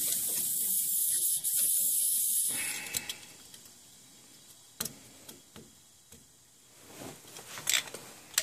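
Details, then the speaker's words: Gas boiler refilling after a circulator pump replacement: a sharp, steady hiss of escaping air for a couple of seconds, then scattered spits and clicks as the spiral air vent purges, hopefully avoiding a system purge. "You hear that spiral vent pissing over here. Hopefully if it works right, I don't have to purge the system."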